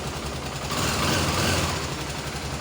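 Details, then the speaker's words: Honda CBX 250 Twister single-cylinder on a lift after the cam chain tensioner fault was fixed; the earlier noise is gone, leaving a steady, even idle with a smooth low thrum and no rattle. Normal idle. "ficou apenas o barulho natural do motor dessa moto."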